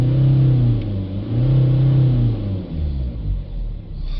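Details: BMW 320d diesel after turbo failure, new turbo and new cam chain fitted, blocked DPF; restarted after clearing codes and resetting DPF values: low, even rumble with slight rise and fall, no knock or rattle, normal idle.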